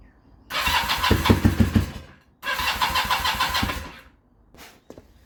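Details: Kawasaki KZ440 project bike after new spark plugs, a newly charged battery, and timing and tappet adjustments: it starts on choke but fires raggedly in two cranking bursts, never settles into an idle, and dies each time.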